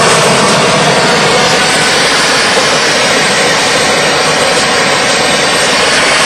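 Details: DIY gas jet turbine go-kart built around a turbocharger, diesel-fuelled afterburner, idle about 22000 rpm: continuous high roar and hiss, steady in pitch, no piston throb; normal smooth running.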